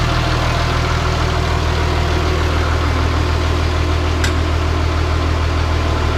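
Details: Caterpillar D3C LGP dozer diesel idling in the shop after refilling hydraulic oil following a blown hydraulic hose; no oil seen spraying. Even, steady low beat around two hundred per minute with no knocks or misses; sounds good enough.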